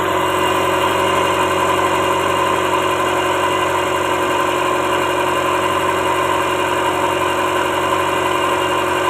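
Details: Toyota Starlet (kotak) at idle during a timing belt check; the belt shows no play and is judged normal: steady, even idle with a smooth hum and a faint high whistle, no slapping or ticking; timing belt fine.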